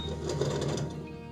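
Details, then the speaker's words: Electrolux/Simpson/Westinghouse clothes dryer running with little airflow: a fast, regular light clatter of about six ticks a second over the motor hum; owner suspects the blower fan has come off the motor, broken or come loose. "So this fan sits behind here, and I'm pretty sure this fan has actually come off the motor and it's just flopping around, or it's broken, or it's come really loose, or whatever."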